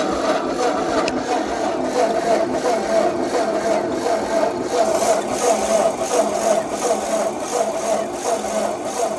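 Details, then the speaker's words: Ford 8N tractor (1950–1952) with choke that won't stay engaged, suspected spring: long, even cranking with dull churn that never fires; owner suspects spark or fuel; cranks but won't start. "Now, if I go to start this, I do not think it should sound like this."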